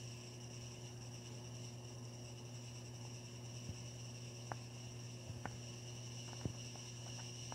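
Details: Hampton Bay Carriage House II ceiling fan, one speed shown: loud, steady electrical buzz with a higher whine on top while running.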